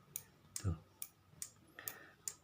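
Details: Motorcycle turn-signal flasher relay after repair, solder added to the contact tongue: crisp even clicks about two and a half per second, steady and unbroken; flasher cycling properly.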